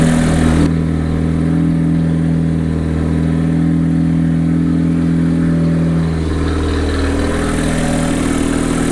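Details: Mazda 13B rotary engine in a Willys jeep, first start, run briefly on a cold day: loud, steady buzzy rotary exhaust burble with a slight rev, smooth and even; normal running.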